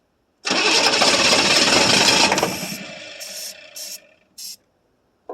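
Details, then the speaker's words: 1982 Chevrolet Silverado K10 4x4 with 6.2 L diesel, sitting about 22 years, on starting fluid with noted pre-ignition: catches with a harsh clattering roar for about two seconds, then dies; starts then stalls, with no fuel source found yet. "Okay. I'm out of starting fluid. Well, we're going have to figure out a fuel source for this thing and what tanks got any fuel or anything of that matter. I was hoping it'd start pulling fuel out of somewhere"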